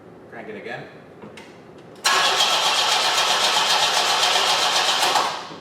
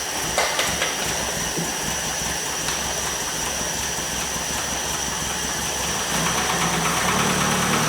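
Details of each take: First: 1973 Opel 1900 (Ascona) abandoned for years, first start attempt with burnt starter power wire repaired: engine cranks quickly and evenly for about three seconds without firing; no spark, suspected double resistor in the ignition coil circuit. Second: 1973 Opel 1900 (Ascona) abandoned for years, first start after ignition work on six-volt points with resistor wires: the engine fires and keeps running on its own with a steady, even beat that picks up slightly near the end.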